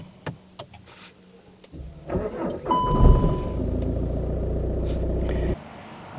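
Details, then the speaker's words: Stop/start car at the end of summer, labouring on starts: keys rattle, then a short, sluggish crank before the engine catches and settles into a steady idle; weak battery, later replaced. "I started this morning, but it's really labouring when it's starting. It can only mean one thing."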